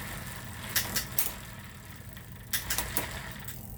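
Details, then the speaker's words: Bicycle rear derailleur just after adjustment, shifted up and down through the gears: crisp single clicks in quick bursts, each change clean and quiet. Normal gear shifting. "and that's it shifting is adjusted you know go through up and down as many times as you want to really pay attention to it listen to it"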